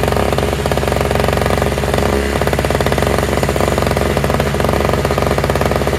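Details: Toro/Craftsman single-stage two-stroke snowblower with electric start, running on fresh mixed gas after priming; fast even buzz at steady speed with no misses or surging; all it needed was gas.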